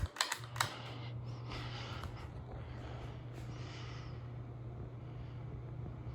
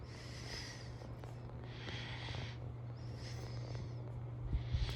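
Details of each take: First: 36-inch Hampton Bay San Marino ceiling fan from January 2002 in kitchen, repaired after a dead capacitor, switched up to high; switch clicks then steady low motor hum and soft even airflow, running smoothly. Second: 36-inch Hampton Bay San Marino ceiling fan from January 2002, running on medium. Steady low electrical hum under soft blade whooshes about every 1.5 seconds; the motor hums for an unknown reason.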